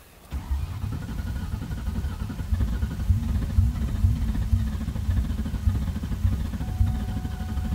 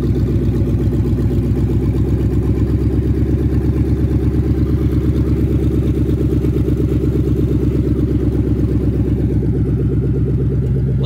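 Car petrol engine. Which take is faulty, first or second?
first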